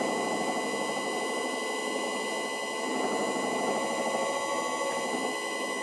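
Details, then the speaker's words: Electric motor on a VFD, fitted to a vintage wood lathe, running alone at full speed (60 Hz) with the lathe disconnected. Layered electric whine with a rough hiss underneath and no clear knock. Owner suspects a worn, egg-shaped rear bearing seat despite new bearings. "And here is what a motor sounds like without the lathe running. This is full speed, 60 Hz."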